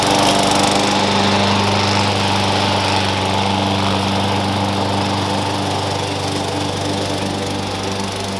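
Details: Push mower that sat for years, after new blade, blade bell support and air cleaner: steady even single-cylinder drone holding pitch while cutting grass, no misses or knocks; running healthy under load.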